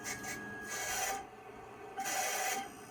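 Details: IBM PS/2 Model 25 with a 20 MB hard disk, at power-up before formatting: harsh rasping scrapes in bursts about a second long with quieter gaps between them; the old drive grinds as it seeks.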